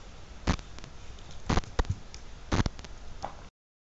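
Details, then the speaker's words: ESP32 TTGO T7_V1.5 walkie-talkie with an ICS-43434 I2S MEMS microphone: sharp crackling bursts about once a second over low hiss in the mic feed while transmitting WiFi, though no noise was seen on the 3v3 power lines; cause suspected, unconfirmed. "It's a weird one as normally I'd associate this kind of noise with noise on the power supply when sending WiFi data. We've seen this before with analogue microphones and their very sensitive pre-amps"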